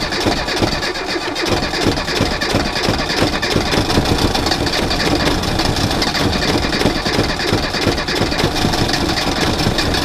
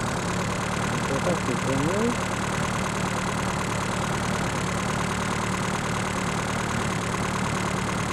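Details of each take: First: Reliant Robin in cold weather with a failing alternator and a low battery: a lumpy, uneven idle with irregular firing that smooths as charge builds, because the low battery current starves the ignition; the alternator is due for replacement. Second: Reliant Robin just fitted with a more powerful alternator, now charging at 14 to 14.8 volts: a steady, even idle with a low drone and no knocks, misses or whine; normal idle.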